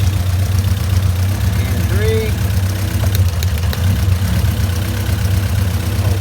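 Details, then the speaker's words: Honda CRX B17 engine after the timing jumped, bent valves suspected: low lumpy idle with an uneven beat, one cylinder missing; before compression test. "I don't know if you guys can hear it but you do hear just like kind of miss and it's just running weird"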